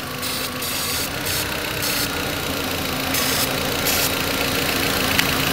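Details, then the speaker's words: 2004 VW Beetle 1.8 Turbo rough idle: uneven, lumpy, loping idle with a faint hiss from a vacuum leak at the brake booster line, also causing a hard brake pedal. "this vacuum leak is way back in the back it's on the booster cylinder already checked earlier on the brake booster and that's what's giving this car rough idle and a brake cylinder not to be able to engage it has a hard brake system hard brake pedal no"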